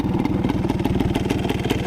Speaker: it sounds great. It's idling great. It runs great. It revs out all the way, so I can't complain.